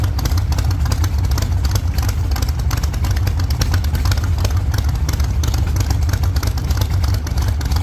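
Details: 1948 Chevy Fleetline small-block Chevy V8, 4-speed, after what is thought to be a fix for push rods breaking on the first burnouts: deep, steady V8 roar held at high revs under burnout load, even firing, no ticking or clatter, valvetrain sounds healthy.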